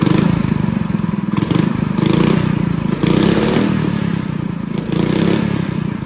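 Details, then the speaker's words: Honda GX200 clone go-kart engine after installing tank and clutch and drilling the carb jet up step by step: runs steadily with gentle rev rises, light mechanical clatter and no stumbling. Normal running. "So guys, she sounds pretty good. So I'm gonna go up one more and see how we do with that, and that should be perfect."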